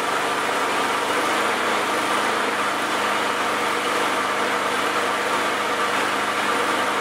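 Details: Old 4 HP Briggs & Stratton lawnmower engine after carburetor cleaning and reinstall (it had loped at full throttle, suspected plugged mid-circuit); idle turned down low, holding a steady, even idle with no misses or surging, running good now.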